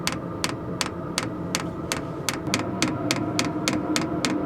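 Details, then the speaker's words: Max Speeding Rods 5 kW diesel night heater installed in a Ford Transit Custom camper van, just started and running on full. Crisp, even ticks about three per second over a steady burner hum. Normal fuel dosing pump ticking. "Right, all in and working now, and you can probably hear the pump clicking away."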